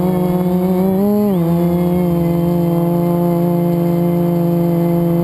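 High motor whine that dips and recovers with throttle, with a rough, gritty edge under it, pointing to a bad bearing in one motor.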